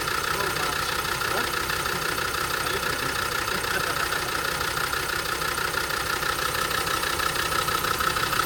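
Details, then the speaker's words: Land Rover Defender Td5 (1999) diesel idling steadily after a couple of minutes' running, following replacement of two injectors and new seal rings; even clatter with constant beat, no stumbles or misses; normal idle. "So, it's been running for a couple of minutes. Straight now."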